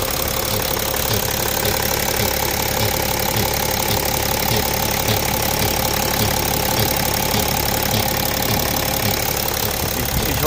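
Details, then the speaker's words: BMW X5 E70 idling with a recurring cyclic pulsing knock, two to three beats a second, over the steady run; cause unknown. "man hört das ist immer so ein zykisches ja also wird mich wirklich freuen wenn ihr sowas Fall schon mal hattet"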